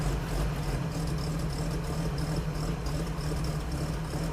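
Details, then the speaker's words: 1950 Chevy truck stovebolt six after new gaskets, plugs and valve adjustment, cold start on half choke: low, steady idle rumble with no ticking or puffing from the previous exhaust leak. Normal idle. "I can already tell the leak sounds better, too. Let me let it warm up a bit and we'll uh we'll walk around the front and see if we can hear anything. But that's idle right now."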